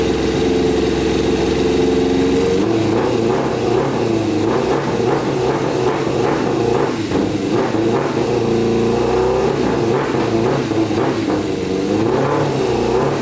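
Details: Custom Yamaha Banshee with swapped Suzuki Katana 600cc engine, running with pod filters before a stage 4 jet kit: rough start, then ragged uneven revs rising and falling without crisp pickup; poor running, carburetion needs sorting.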